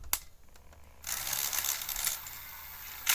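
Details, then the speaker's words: Sony SL-F1 (SL-2000, NTSC) Betamax deck on stop/eject: a sharp click, then about a second of rattly, gritty whirring as the tape ejects. The eject is abnormally noisy, traced to cracked deck plastic throwing the drive off. "Let's just press stop. Is this eject? And why is it so"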